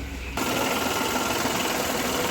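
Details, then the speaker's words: Renault Kwid with high idle rpm caused by a faulty accelerator pedal, found with a Launch scanner, after fitting a new pedal: steady, even idle hum with no surging, knocking or hunting; rpm and noise now reduced, normal. "Sound வந்து கம்மி ஆயிடுச்சு title பெடல்ல இருக்குது"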